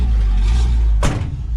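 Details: 1956 Chevrolet four-door sedan barn find, off the road since 1970, replacement carburetor with electric choke, first start: cold engine settles into a steady, even low rumble with no misses or knocks; normal cold idle.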